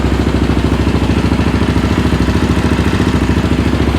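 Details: Yamaha Raptor 700R after engine rebuild, in frame, battery charged overnight, fuel pump audible: even, steady single-cylinder thump at idle, around 160 pulses a minute, no knocks or misses; normal idle.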